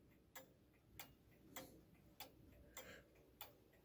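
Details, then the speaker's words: Vintage 1940s–1950s German Westminster chiming wall clock, leveled and screwed to wall, pendulum hung and started: crisp, quiet, even ticks about every 0.6 s, no limping; clock is in beat. "make sure that you listen to it and hear it ticking properly uh you should be able to hear it doing a nice even tick tick"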